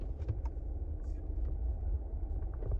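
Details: Chevy Silverado test drive after hub assembly replacement for wheel bearing noise: a steady low road rumble while rolling, with no growl or grinding rising with speed, so the hub runs quiet.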